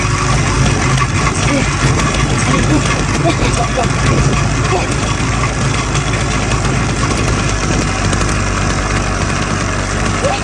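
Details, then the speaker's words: Restored motorized bike/moped after full clutch rebuild and new spark plug: small two-stroke starts on about the third attempt and runs loud with a busy, even buzz at steady speed, no misses or stalls. Normal idle. "And just like that, on the third try of the day, at about the third attempt starting it, it came to life."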